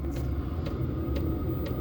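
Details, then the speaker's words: Peugeot 205 TD diesel fitted with an agricultural tractor injection pump: steady low rumble with a soft even pulse about twice a second, no knocks or rattles. "c'est un moteur avec des longes cours long cour le bruit que tentends c'est ça"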